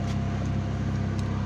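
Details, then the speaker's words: BMW E36 with M43 engine, idling with the dual-zone AC just switched on: deep, steady idle with an even low drone that does not hunt or dip under the AC load. Normal idle with AC on. "Oke, sekarang kita hidupin AC-nya. Jadi ini AC dual zone. Tuh kita lihat idle-nya rata."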